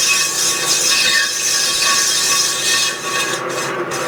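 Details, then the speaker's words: Turning a cast iron clam pumper impeller OD on a lathe, about 20 thousandths per pass: harsh, wavering high ringing squeal from tool chatter because the setup is not rigid enough; faster feed reduces chatter. "And you can hear the vibration, and I just need to set this up a little stouter."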